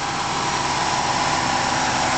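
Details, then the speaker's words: 1994 Buick Roadmaster LT1 with a newly installed A/C compressor: at idle with A/C on, a rough, buzzy growl from the compressor itself, not its bearing; cooling works, suction 30, high side 150. "Works fine, it's just a little bit noisy. We call that a growl."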